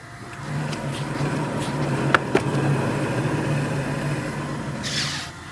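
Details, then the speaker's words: 2015 Nissan Altima making a helicopter-like noise while driving: a low, steady drone with a slight throbbing pulse under road noise. It is worse on the road. The finding is a worn wheel bearing, which is being replaced. "guy says he hears like a helicopter when he's driving a car"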